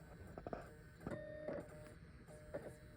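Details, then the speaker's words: External USB SuperDrive burning a Mac OS X Tiger installer DVD for a 14-inch iBook G4: quiet irregular chirps and short squeals while the disc spins, like a little song; owner suspects a faulty drive or a bad DVD. "it's almost like the super drive is playing a little song. And it's still giving me progress, so this thing has been making weird noises, so I think this USB super drive, either there's a problem with it or there's a problem with the DVD I have in there."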